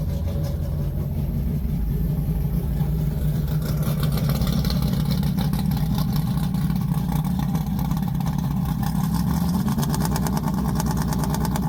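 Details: Big-block V8: a deep, lumpy idle with throttle blips, firing stays even with no knocks or ticks; healthy.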